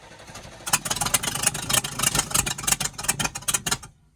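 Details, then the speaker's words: Sportscoach RV with 454 big block and TH475, sat 12 years; cranking at roughly three beats a second with wet chuffs and no catch, engine flooded after pumping the throttle, fuel pump possibly pushing too much. ">> Flooded, flooded, flooded. >> Yeah, she's flooded. Go ahead and crank it again."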